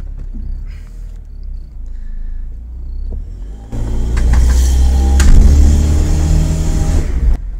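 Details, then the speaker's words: Warm Honda Jazz/Fit CVT before EX120 treatment, pulling away up a steep driveway: a heavy low drone with a steady shake about four times a second; CVT judder. "I could definitely feel it and hear it but let's do it a bit harder see if we can get it to do it again"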